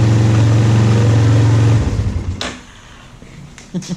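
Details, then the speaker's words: 2001 Yamaha Warrior 350 ATV, back running after carburetor work and stator replacement; steady single-cylinder thump runs evenly under two seconds, then winds down into handling noise; normal running. "We get this Yamaha 350 back up and running with a little carburetor work. She's going to be a screamer for sure."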